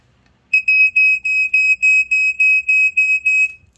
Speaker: so yeah and this one if we go ahead and test it has a much different sound to it